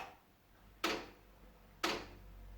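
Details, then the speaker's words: Sony hi-fi system making sharp isolated clicks about once a second, then dropping to standby, especially when set to tape. The cause is a snapped cassette deck drive belt wound round the motor. "you can hear that clicking noise. It's somewhere over here and it'll switch off."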